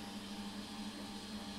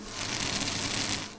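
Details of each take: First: Two centrifugal pumps on a variable-speed series and parallel pumps bench-top test set, reconfigured while running and now operating normally in series: steady, even motor-and-pump hum with a faint high whine. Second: Centrifugal pump cavitating on a variable-speed series and parallel pumps bench-top test set: dense, gravelly crackling over a steady pump hum; cavitation puts pressure on the pump and may reduce its life, a situation to avoid.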